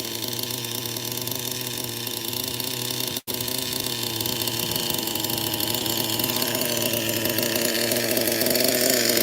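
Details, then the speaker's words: Vintage 25-year-old HPI Super Nitro RS4 with a PICCO 12 engine, revving: a high, raspy nitro note with a brief cut-out. Owner hears bad back pressure as RPM rises, with oil dripping. Exhaust leak. "as I give it RPM I can hear the back pressure is bad"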